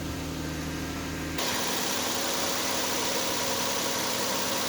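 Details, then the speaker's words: 2010 Nissan Maxima 3.5 V6 after replacing bad ignition coil for cylinder 5 misfire code P0305 and clearing codes: engine starts and settles into steady even idle, no misfires, no puttering, no smoke; fixed. "running pretty smooth no misfires no putting no smoke so she's fixed"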